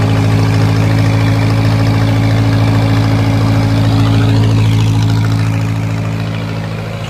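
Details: 1950s Lincoln, first start in unknown years after a carburetor rebuild: deep, even idle with a steady low rumble, smooth and regular as it settles; normal idle.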